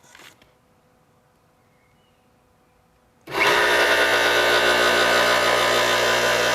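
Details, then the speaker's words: Replacement motor for a 1977 Craftsman 113-series table saw (original had burnt-out bearings), bench-tested on plug-in: silence, then starts cleanly and settles into a smooth, even hum with no grinding or rumble; runs healthy. "got ourselves a motor. Sounds pretty good too."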